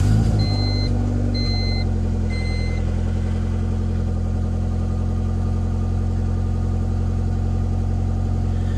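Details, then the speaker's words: Honda with Skunk2 Pro intake manifold, stock throttle body, P28 tune on E85: after three chimes, holds a steady fast idle stuck near 1500 rpm and slow to drop after revving. Owner suspects a vacuum leak at the throttle body gasket. "a good indication of a vacuum leak is when you rev it up and it's slow to come back down that's that's an indication that it's sucking in here"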